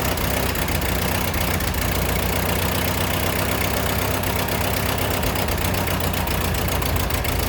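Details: Ford 8N tractor during restoration, carburetor leaking while running: uneven, stumbling idle with irregular misses under a steady rumble; sputtering, owner suspects float sticking, float height not yet adjusted.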